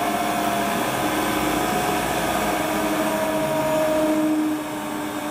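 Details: Hotpoint Ultima WT960 washing machine test spin after repair with a brand-new replacement belt: smooth, even motor whir with steady tone, no thumping or slapping; normal spin, belt drive healthy.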